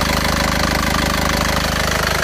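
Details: Isuzu Panther diesel pickup after repair of compression blow-by, engine warm: steady idle clatter with an even, regular beat, no misses or hunting, and no heavy smoke; smooth and healthy.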